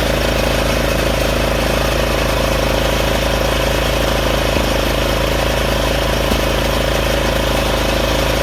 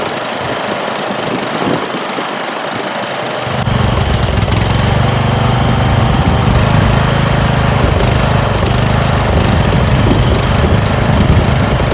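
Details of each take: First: Craftsman 30-inch RER rear-engine rider mower, running after its clogged, non-flowing carburetor was cleaned, with the blades engaged: a small single-cylinder engine holding a steady, even beat with no misses. Normal running. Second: Craftsman 30-inch rear engine rider mower, carburetor never cleaned: engine catches after a few seconds and settles into a steady but slightly uneven chug; runs rough, owner suspects the carburetor.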